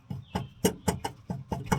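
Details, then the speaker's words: 2024 Chevrolet Silverado 2500HD Duramax, no lift, 35x12.50 tires on negative-offset Fuel Twitch wheels, after mud flap delete kit: rhythmic scuffing thumps about four per second with wheel rotation, louder than before; tire rubbing a metal fender liner bracket. "Not only did it rub, but the rub got louder, believe it or not. And I'm going to show you exactly where it's rubbing at and what I'm going to do to fix it."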